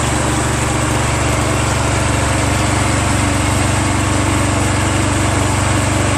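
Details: Exmark 36 Metro commercial walk-behind mower, a curb find running after a new recoil starter rope and starting fluid: a steady, even single-cylinder drone at constant speed with no misses, knocks or surging, so it runs healthy.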